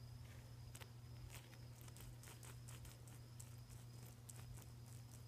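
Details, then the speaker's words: Hand-spun counterfeit Dura-Lift Ultra-Life style garage door roller gives uneven gritty clicks and rasps; new but rough, poor-quality bearing. "new bearings aren't supposed to sound like that. This is really too bad."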